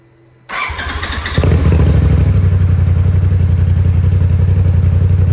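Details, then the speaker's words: 2020 Polaris RZR Pro XP after replacing the fuel rail pressure sensor (code P0195, stalling and power loss) and priming the fuel system. It fires up quickly and settles to a steady, even idle with no leaks. Normal start and idle. "All right. So, as you saw there, machine fired up. No problems, no leaks."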